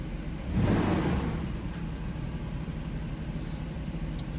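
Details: Mercedes R129 with an intermittent no-crank/no-start fault (SRS light on, started after pressing the brake pedal): engine catches with a brief flare in revs, then drops to a steady, even idle; normal start and idle.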